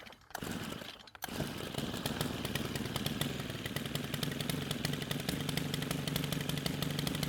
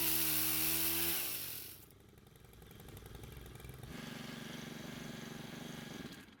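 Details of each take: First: Stihl pole pruner stored for years with fuel left in it: fires and runs a fast uneven high idle with rough popping, then dies the moment the trigger is squeezed; owner believes the stale fuel damaged the carburetor (hardened diaphragm). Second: Stihl two-stroke pole saw, stored for years and wouldn't stay running, after carburetor repair: revs high and crisp, drops back to a steady even idle, then picks up cleanly with no stalling; normal running.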